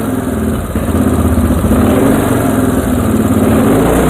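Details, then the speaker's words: Moto 4 engine during restoration, with the idle mixture screw turned out in half turns: an uneven, stumbling idle with dropped pulses. This misfire comes from the mixture being too rich. "Oh, we got some hiccups there. Let's take a listen. Oh boy, big miss."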